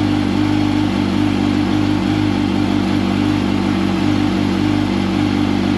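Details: 2005 Yamaha R1 after faulty starter replacement for hard starting, oil refilled: smooth even engine note holding steady without misses or knocks; starter sounds much better, normal running.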